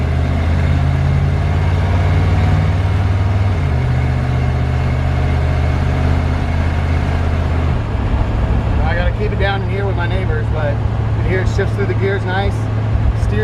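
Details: 1941 Chevrolet rat-rod truck on an '83 S10 chassis, 350 V8 with automatic transmission, driving: deep, steady V8 burble with clean, even firing that drops smoothly as it shifts through the gears; sounds healthy, normal running.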